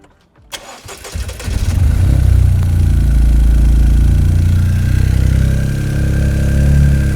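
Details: Toyota GR Yaris G16E-GTS after fitting Weldspeed intake plenum and Kelford cams: brief crank, clean catch, then a deep, even idle of about four pulses a second with no stumble or hiss; healthy start, no leaks.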